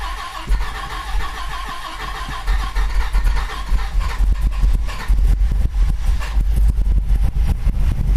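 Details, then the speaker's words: 1998 Dodge Viper V10 during a dry sump install, first start after reinstall on a new battery: catches cleanly into a deep, even V10 rumble with no knocks or misses; runs a little hot, judged normal heat; normal start and idle. "All right, well, it fired up. It's a little hot, I can tell. I think we're okay though. I think it's just normal heat."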